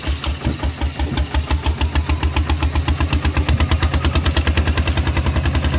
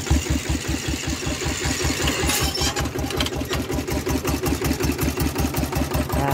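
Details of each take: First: Steel-wheeled tractor ploughing a rice field with a loud replacement exhaust pipe: sharp, loud, evenly spaced exhaust barks around eight a second over a deep thump; the open pipe is very loud under load. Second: Iron-wheeled Thai tractor for rice-field ploughing with a changed, loud exhaust pipe: a loud, even single-cylinder diesel chug at about six beats a second, with no surging. Steady idle.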